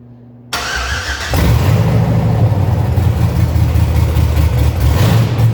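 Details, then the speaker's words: 1965 Chevy C50 with swapped 12-valve Cummins diesel, first start after wiring and new fuel lines: starter grinds briefly, then catches into even deep idle clatter; sounds good though not yet tuned. "But like I said, we got to hear it run, and it sounds really good for no tune at the time"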